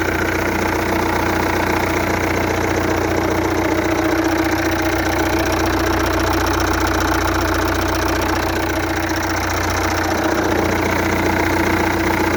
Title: 2.0 TDI CAGA Knocking sounds